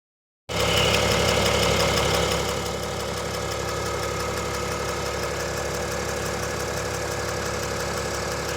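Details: 2022 RAM Cummins diesel at cold start: a fast, light ticking runs through the steady clatter and goes away after about 10 minutes.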